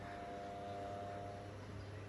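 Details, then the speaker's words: Ceiling-mounted high-angle fan, not very old, vibrating badly after its blade shattered and a non-original DIY blade was fitted, run with blade removed: quiet smooth motor hum, faint whine, no knock; motor shaft tight, motor normal; owner suspects bushing. "เดี๋ยวจะลองเปิดแบบไม่มีใบพัดนะฮะอ่าประมาณนี้เงียบ"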